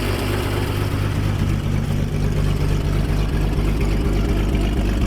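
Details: 1957 Dodge D500 1½-ton ex-military truck V8, first start after years sitting, cold with choke on: steady low lope about two pulses a second plus a faint puffing tick from an exhaust leak.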